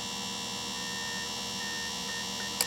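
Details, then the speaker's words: Sharpening a Shindaiwa 300S chainsaw chain on a grinder, test pass with chain pulled back under tension; only steady motor whine, no grinding bite, so the wheel is set too shallow and misses the tooth; depth stop must be adjusted. "I'm not making any contact, so I gotta go, I gotta loosen, tighten this up a little bit more."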